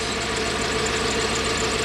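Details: Toyota 1UZ-FE V8 in a Surf/4Runner suddenly running on half its cylinders, with burnt, worn-through oxygen sensor wiring found: rough, lumpy idle with uneven thumping pulses; ignition coil misfire, running on half its cylinders.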